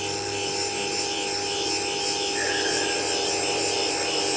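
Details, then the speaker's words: Cleaned valve being refaced on a valve grinding stone; steady high-pitched grinding hiss as the stone cuts evenly across the face; normal valve refacing. "so I've cleaned the valves now just going to give them a little reface just gently touch on you hear that there and then just apply a cut"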